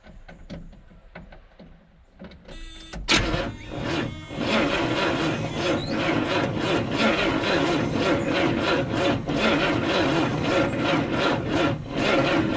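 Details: 1971 Buick GS first start in almost 40 years, spark jumped: uneven cranking into ragged firing bursts, rough stumbling run that never idles; owner suspects a new brain box is needed.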